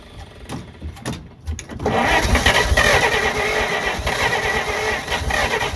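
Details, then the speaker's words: 1948 Pontiac Silver Streak straight-six, sitting since the early 1990s, start attempt after reinstalling rotor and cap: uneven cranking, then catches into a ragged, sputtering run that barely holds; hard start. "you guys hear that it's getting close it's getting close is what that means I think if we can just get it to fire off it should run off its own fuel"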